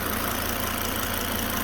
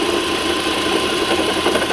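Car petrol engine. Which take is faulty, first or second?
second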